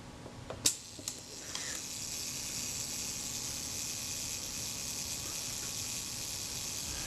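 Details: Kodak Retina Reflex S camera being serviced: a sharp click then a couple of lighter ticks as the mechanism runs through, then quiet; shutter completes its cycle.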